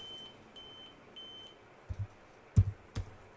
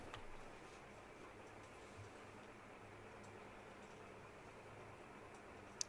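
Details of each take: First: Dell Vostro laptop sounds repeating beeps at power-on with a "real time clock error, check date and time settings" message. The beeping continues in BIOS until the date and time are set and the settings saved. Three evenly spaced high beeps, then key clicks. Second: Dell Vostro laptop powering on after fixing a beeping issue tied to a real time clock error: quiet, steady low hum with no warning beeps, normal power-on.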